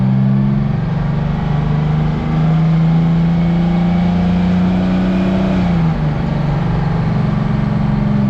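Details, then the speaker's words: "Screaming Jimmy" truck (Detroit two-stroke diesel per sound): a steady, smooth, high-pitched scream that eases and climbs a little with the revs. Normal, healthy two-stroke diesel running. "Somebody said they wanted to hear a screaming Jimmy. I don't want to hear it, but here you go."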